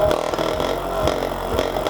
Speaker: That's just from bottoming the coil out and destroying it.